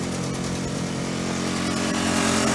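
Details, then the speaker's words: Aquapod petrol flush pump engine, warmed up with choke opened, throttle set to medium speed, rinsing filter: smooth even drone, no misses or knocks; normal running. "okay we're now operating the petrol pump and as you can see we've got flush water coming out of our flush"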